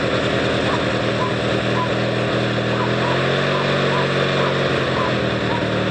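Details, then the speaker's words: Noma 18 hp riding tractor, started by jumping the solenoid with pliers after charging the battery: it catches and settles into a steady, even drone with a slight pitch change midway. It runs fine. "uh yep she's a runner"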